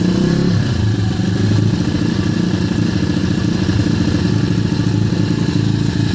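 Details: Kayo YX140E Klassic pit bike single-cylinder engine, throttle opened a bit more then held in one position: revs keep rising and sagging unevenly with occasional stumbles; hunting idle and misfire.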